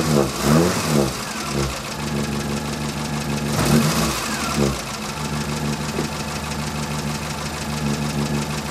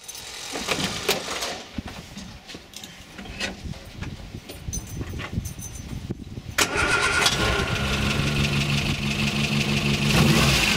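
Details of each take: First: Morris Minor after fitting a new distributor cap, rotor arm and cables to fix its ignition problems, starting and warming up: a few rough catches, then a steady, even idle, and the engine sounds healthy. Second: Morris Minor with known ignition problems: after a long crank it catches to a lumpy, uneven idle with a regular stumble, one cylinder dropping out.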